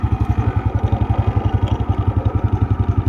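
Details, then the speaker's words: Honda Wave 100 electric-start single, easy and quiet starting, smooth engine, battery good: steady even putter about four beats a second, no ticks or knocks; normal idle. "มือง่ายๆเงียบๆนิ่มๆเลยนะครับระบบไภยใช้ได้ครบนะครับ"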